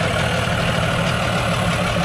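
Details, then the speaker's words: Suzuki 15 HP outboard, hard to start after long storage, runs steadily with an even quick beat and no misses or knocks after carburetor cleaning; the fault was only the carburetor, now running normally. "fiz a limpeza do carburador o defeito Esse motor todinho era só carburação certo"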